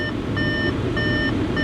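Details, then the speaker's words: Car at auction yard, just started with heater on: bright chime in short bursts roughly every 0.6 seconds over steady idle; door-open warning, stops when door closed, not an engine fault. "other than this annoying beeping, which maybe close the door."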